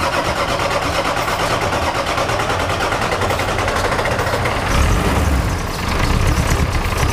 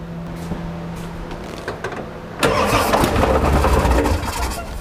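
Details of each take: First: Ford 7.3 Powerstroke diesel with engine oil ending up in the fuel tank, restarted after topping the oil back up: long steady cranking until the injectors kick on one by one, then a rough but building idle; normal start after extended cranking. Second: Ford 7.3 Powerstroke diesel with engine oil getting into the fuel tank: about two seconds of cranking, then it catches and runs rough but steady. It started well with no glow plugs, with engine oil in the fuel helping it fire.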